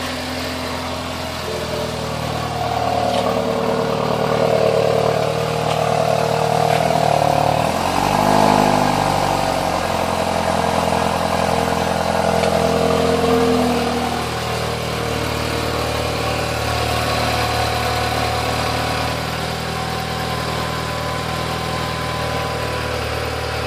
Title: BMW X1 weird noise at cold start